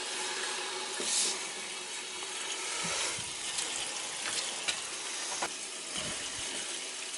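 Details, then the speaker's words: Water rushing with sputters and hisses as trapped air purges from the hydronic heating loop of a winterized oceanfront home being recommissioned; the loop is run until it runs clear and back-flushed to push air out of the leg. "you want to run it till it runs clear and I could feel it right here to put my hand on it you could hear it but I could feel it you know every so often I'll open this and back flush it there's any air in this Loop it'll you know this leg it it'll back flush"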